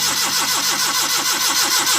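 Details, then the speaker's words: Suzuki Mehran VX/VXR Euro 2 petrol car with a crank/no-start fault. The starter turns over evenly but the engine never fires. No petrol comes from the disconnected fuel pipe with the ignition on and cranking, so the fuel pump has failed. "ये देखें ये इसमें पेट्रोल नहीं आ रहा, बस ये देखिए इसमें पेट्रोल नहीं आया स्लो मारने से और स्विच ऑन करने से। इसका मतलब है इसके फ्यूल पंप में प्रॉब्लम है।"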